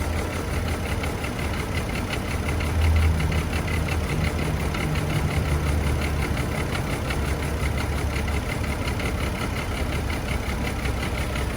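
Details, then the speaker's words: Chevy Trailblazer petrol engine idling roughly, uneven stumbling exhaust pulse; misfire on cylinders 3 and 5, checked by unplugging coils/spark plugs one at a time to hear for change. "So you check the spark plugs. Misfires, unplug to see if it changed. Got Misfire right there too."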